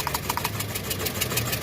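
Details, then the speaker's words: 2016 VW Saveiro Robusta that shakes and lacks power: a rough, uneven stumbling idle that doesn't change when a spark plug lead is pulled, so that cylinder is dead; plug leads were suspected but ruled out. "Esse aqui não mudou a rotação do motor. Agora aqui, o outro aqui, ó. Esse também não mudou o funcionamento do motor, tá"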